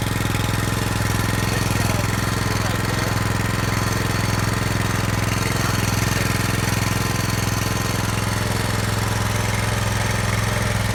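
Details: Brand-new Subaru Robin SP-170 5.7HP engine, first start ever on a stand, 10W-30 oil: steady even single-cylinder chug at about 3.5 firings a second, no knocks or misses; healthy, warming up.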